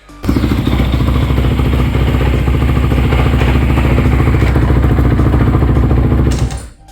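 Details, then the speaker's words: 2014 Honda CRF250R dual-exhaust after new piston, top end and rod good: single-cylinder running with loose metallic slapping in the bottom end; suspected loose object in crankcase, like a bolt, dowel pin or broken gear tooth, unconfirmed. "And it sounds like there's something rattling in the bottom end. And the the rod was good. I put a new piston in as you saw. Top end is all good. It sounds like something's free slapping around like a bolt in the bottom end or something."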